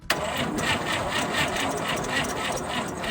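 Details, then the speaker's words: 1958 Chevy Apache truck engine after sitting for decades, cranked by jumping the starter solenoid with a screwdriver: steady rapid chugging crank, a touch slow and soft; engine turns freely, not seized, but battery is low. "Sounds like that battery's a little low. She's not seized up."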